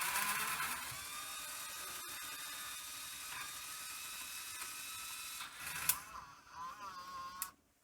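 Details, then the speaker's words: Sony EV-S700 UK Video8 deck running a sacrificial cleaning cassette: high, thin whir with shifting whine tones, tape transport far quicker than normal and running poorly; capstan motor overspeed. "I mean it's just running so fast and not very well either"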